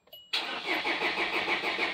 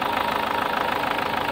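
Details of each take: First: SsangYong Actyon 2.0 diesel with Mercedes engine, first start after replacing all four injectors: after a short crank it catches and settles into an even, steady idle with no misses or knocks; healthy start. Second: SsangYong Actyon 2.0 diesel with a Mercedes engine and the check engine light on, idling cold: a sharp, rapid clatter with knock and misfire; a return test traced it to the second injector, and the injectors are to be replaced.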